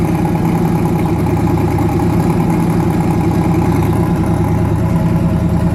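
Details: Newly twin-turbocharged engine ("Jack"), first start after conversion, loud idle with an uneven lopsided lope and a skipped beat in the exhaust pulses; back cylinder misfiring, head gaskets recently done, fuel line weeping, oil pressure near 70 psi.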